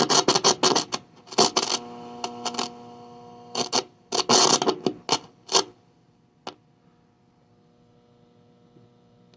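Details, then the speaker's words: 1970s Eico model 150 solid-state signal tracer, first power-up before service. A steady low buzzing hum that worsens as the volume is turned up; mains hum from failing power-supply filter capacitors, due for replacement. "you can see we got quite a bit of hum there and it gets worse as you crank it up there so we need to go inside and replace a couple of capacitors"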